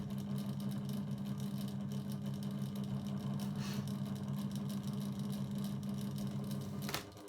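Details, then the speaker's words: 2000s Rainbow 9-inch desk fan on its lowest speed: a steady low hum with a buzzy drone, like the fan vibrating against the table. Owner says it sounds different when lifted and makes this noise only on the table; the cause is suspected, not confirmed. "When I lift it up like this, that's what it sounds like. Obviously when I put it on my table, that's when it makes that."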